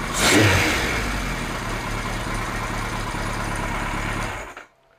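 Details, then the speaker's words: Kawasaki Z1 four-cylinder, about 50 years old, air filters off, after vacuum-syncing the carbs and turning air mixture screws (richer): quick blip, then smooth, even tickover until shut off; sounds healthy and well balanced. "it's ticking over so much better since I adjusted the air mixtures on all four carbs so it should be now running richer so yeah not too bad at all"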